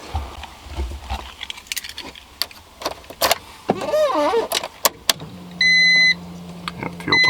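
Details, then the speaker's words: Honda EF Civic (B-series) just fitted with a larger in-tank fuel pump for E85, stock ECU, injectors and regulator; very cold, not driven in a while. Short steady buzz after key rattle, then fires right up. Normal fuel pump prime. "primes fire is right up very cold I haven't driven it in a while so yeah fire right"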